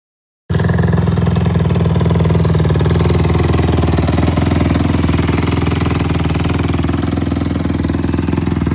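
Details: Honda CRF150R single-cylinder after valve re-shim from about 1.2 mm to 1.4 and 1.45 mm shims; fast even thumping then settles, previous top-end rattle when revved is gone, starts well with good compression.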